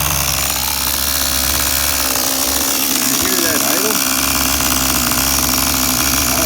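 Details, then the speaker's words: Tamiya TGS-R nitro RC engine, factory carb settings (high 1.5 turns out, low 1 1/4 turns out), fresh fuel, slightly rich: fast, high buzzy idle holding steady with no stumbling; normal idle. "I don't know. I never heard an idle that good. That's factory carb setting."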